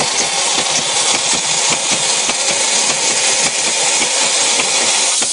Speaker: we're able to even out the spray that's appropriate for the projects we're working on